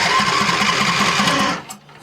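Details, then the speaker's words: 2014 John Deere D130 riding mower with no-crank complaint: starter jumped with positive on stud, grounded to exhaust; fast even cranking ~1.5 s then drops away. Starter spins when fed directly, so key circuit at fault; broken starter magnets suspected; corroded loose terminal found. "So, what we will go ahead and do is I'm going to put the positive right on to the stud here. And then I'm just going to ground this to the frame somewhere."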